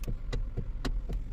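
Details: Hyundai i30 steering clunk, heard from underneath with the car running, while turning: dull clunks about four per second from a worn spider bushing in the steering column coupling, a common Hyundai problem.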